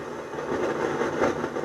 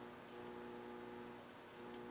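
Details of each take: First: Harman Kardon 230 receiver FM section: a rushing, crackly hiss that swells and fades unevenly with no programme audio. The noise remained after transistor TR104 (2SA52 germanium) was replaced, and the diodes and transistors are being checked. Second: Harman Kardon Two Thirty (230) receiver with germanium PNP transistor TR301 (2SA49) removed: the noise is gone, leaving near silence with only a slight steady mains hum and no hiss or crackle.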